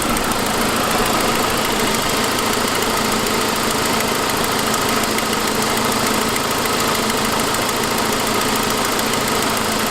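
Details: 2006 Saab 9-5 at idle: fast, light ticking following idle speed over a steady engine hum; not a lifter but an exhaust leak caused by the broken forwardmost exhaust manifold stud, a fairly common failure, preceded by noisier turbo noise.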